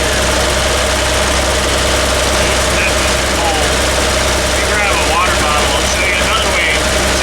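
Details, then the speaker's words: Toyota Land Cruiser, fuel pump, started cold: steady idle with uneven lumpy beat, one cylinder dropping out; cylinder 3 misfire, its exhaust tube stays cold; possible compression, valve, carbon, plug or ignition cause, still to be tested. "so we have a misfire in cylinder number three so it could be a low compression issue a valve issue carbon spark plug ignition any one of those items"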